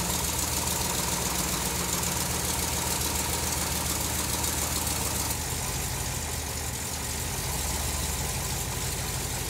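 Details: Supercharged big-block on engine dyno (Harrop TVS2650 kit), running-in oil, new second valve springs fitted: loud, busy, lumpy idle with steady rhythm and bright blower hiss, no knock; it later failed at about 5000 rpm.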